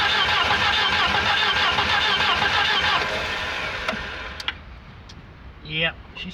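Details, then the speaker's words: Long-stored 1984-85 Volvo 240 found in the woods, cranked on a full can of brake cleaner with smoke from the dipstick tube. Slow, heavy cranking at about three turns a second strains and fades without catching; labored cranking, with the owner suspecting low compression. "I think I think uh I think that's about it this car is definitely down on compression is what it is"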